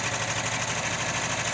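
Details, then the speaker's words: 1979 VW Westfalia warming after cold start at about 40°F, lifters previously oil-soaked and bled; slight ticking far less than at startup, smooth even sewing-machine patter; normal warm idle. "a lot of air still hear the ticking bud nowhere near as bad as when it first started and now it's sounding more and more just like a sewing machine"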